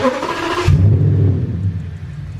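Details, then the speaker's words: V10 after a fuse in the underhood junction box was swapped, intakes off and map sensors unplugged: a short crank, then it catches within a second into a deep, even rumble, starting quicker than before. "i started quicker yeah that's interesting keep revving it"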